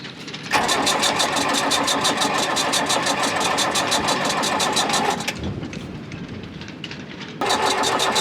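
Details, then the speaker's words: 47-year-old Mercedes OM636 42 HP marine diesel, cranked without raw water, fuel bled at filter and pump: steady starter churn about three compressions a second in bursts, never firing; owner suspects no fuel at the injectors. "i'm gonna crank it first without the water and because i'm pretty sure that fuel is not at the injectors"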